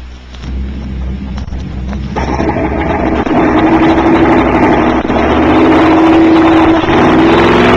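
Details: 1960s recording of a V8 automobile engine running with an open exhaust system: fires up and builds to a loud, even, raspy roar with a steady rising tone; clean healthy running.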